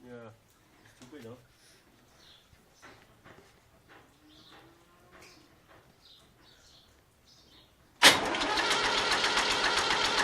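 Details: David Brown tractor: a steady, fast, regular crank that keeps turning over with no sign of firing. It cranks but won't start.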